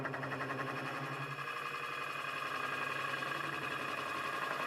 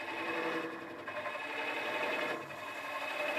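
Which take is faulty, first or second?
first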